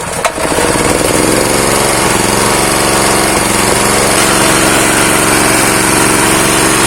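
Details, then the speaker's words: Honda GX160 pump engine seized after years idle, freed, with oil added through the spark plug hole, choke on: catches after a rough start, runs loud, uneven and smoky, dies when throttled. Compression loss and dirty carburetor jet suspected. "Nah, ini sudah bisa hidup, tapi berasap karena pancingan oli dari lubang busi tadi ini. Karena kompresinya hilang. Dan ini sedikit berbet, waktu digas langsung mati nih."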